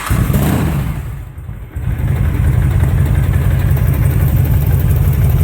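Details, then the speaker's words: 2005 Honda VTX with Cobra slip-ons, intake and carb upgrade (DJ 200 main jet, needle slot 4, mixture about 3¾ turns out): even V-twin lope at 900 rpm, brief dip then smooth; normal idle. "so that's at 900 RPMs I generally run my idol it's a little higher than that"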